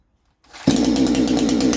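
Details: Chinese Baumr-AG 62cc two-stroke chainsaw with a new exhaust, clutch bearing greased and shoes cleaned. The carburetor was set at 1.5, then adjusted slightly richer. The note changes as it revs, then settles into a crisp, steady, even high-revving buzz: normal running after carb tuning.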